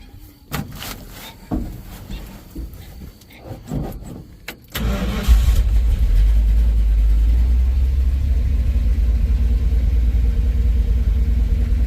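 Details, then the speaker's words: V8 with a newly installed Edelbrock AVS2 carburetor, timing adjusted, warmed up then partly cooled and restarted: cranks, fires and settles into a steady, even idle with no hesitation or popping through the carburetor. Normal idle; timing may need slight further tweaks. "happy there is no hesitation there is no popping through the carburetor it might need a little bit more tweaks to the timing"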